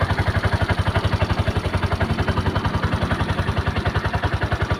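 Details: Brand-new long-stored Piaggio Ape 200cc after cleaning the dirty fuel tank and injector, started on a jump battery: even, quick single-cylinder putter with a steady beat and no misses or knocks; idles cleanly.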